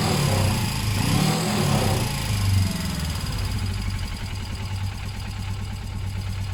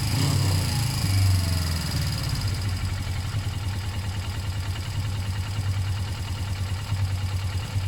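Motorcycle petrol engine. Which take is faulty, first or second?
first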